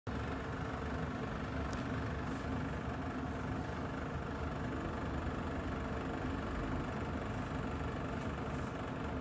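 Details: Less than a year old Kolin room air conditioner making a steady, rough rattle over its low hum; rattling noise issue.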